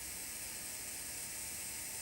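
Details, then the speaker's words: Hornby T9 model locomotive after its old motor was replaced with a new one, not yet run in, tested before reassembly: a thin, steady high-pitched whir with a fine rasp. The new motor sounds rough and may settle once it is run in. "now of course once it gets running maybe that motor will sound a little bit more happy"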